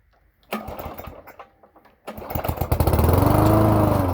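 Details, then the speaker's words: Toro lawn mower with a 3.5 hp Briggs & Stratton engine, cold December morning: a couple of sputtering pulls, then it catches and settles into a fast, even chug; hard cold start. Owner suspects a fuel pickup or carburetor problem. "starts and dies starting and then it die I wonder if it's not I'm picking up fuel I wonder if this carburetor needs to be rebuilt"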